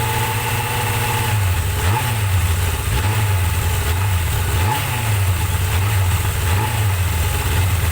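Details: Suzuki GSX-R 750 "slabbie" motorcycle after repair work, float bowls drained, fresh super unleaded with Silkolene Pro Boost, already ridden: even, burbling idle with a few quick throttle blips that rise and drop back cleanly; healthy engine.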